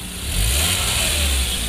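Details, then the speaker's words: 2015 Hyundai Grand Avega after its leaking exhaust flexible pipe was replaced; smooth again like stock. Quick throttle blip with a smooth, deep exhaust note, no rasp or puffing. "fleksibel halus lagi seperti standar seperti standar"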